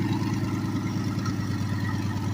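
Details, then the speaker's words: Turbocharged small-block Chevy V8 in a Silverado pickup, daily driven two years, needs several cranks to start: deep, even idle with steady throbbing beat, no knocks or misses, just after starting; healthy. "That's basically what she sounds like."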